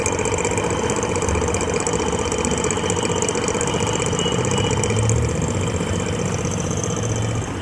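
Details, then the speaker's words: RO booster pump that is jamming with very low water pressure. Continuous rough hum with a whirring mid tone and gritty rumble over the pump noise, from worn motor bearings that are to be replaced. "देखो फ्रेंड्स, हमारा ये हमारा जो booster pump है एकदम जो है आवाज़ कर रहा है। हम इसके जो है बेरिंग्स चेंज करने वाले, इसके बेरिंग्स को कैसे चेंज करें और हम उसके हेड को जो है किस तरह से जो हम इसका हेड जो है ऊपर से खोलें, ये आपको मैं पूरी जानकारी देने वाला हूं।"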